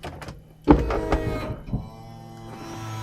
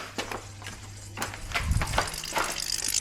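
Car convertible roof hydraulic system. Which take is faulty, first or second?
second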